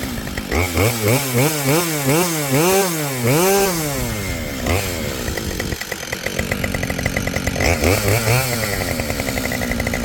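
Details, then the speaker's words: Husqvarna 572XP chainsaw built from used parts, hot restart after heat soak from milling, nearly out of fuel. Fires straight up, blips cleanly through rising and falling revs, settles to steady idle. Normal hot start. "so much for the hot start issues they both run just fine but I better put some gas in I mean it's empty so it started on Vapors"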